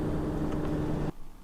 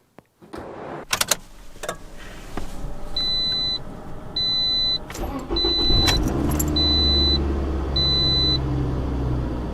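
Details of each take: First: Cold 2007 Toyota RAV4 with about 265,000 miles, 53°F outside: radiator fans whir steadily then cut off, running because a faulty coolant temperature sensor reads 180–200°F; car cranks but won't start. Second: 2007 Toyota RAV4, about 265,000 miles, that cranked but would not start: key clicks and chime, then it starts promptly to a steady even idle after coolant temperature sensor replacement.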